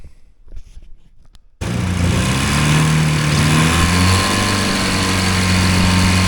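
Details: Hovercraft two-cylinder engine, just got firing on both cylinders with pull starter: silence, then it fires and settles into a fast, steady buzz climbing slightly; runs evenly but idles high.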